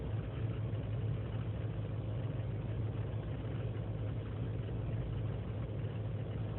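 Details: 2003 GMC Sierra Z71 5.3L V8 (non-flex fuel) cold idle unaided after overnight in single-digit temperatures: low uneven wavering rumble; lean and misfire codes, owner suspects intake gasket; fine once warm.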